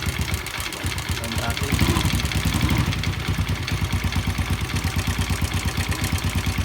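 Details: Yamaha Jupiter Z single-cylinder at idle: steady sharp metallic tapping about three per second; worn, loose connecting rod found as the main cause, fixed by replacing the rod with original crankshaft bearings.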